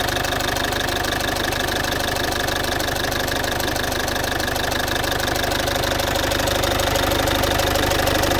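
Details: Citroën C5 2.0 HDi 100 kW diesel at steady idle with fast, even tick roughly three per second; source unclear, owner suspects near injectors; all four injectors and valves repaired, piston rings and valve seals renewed 15,000 km ago.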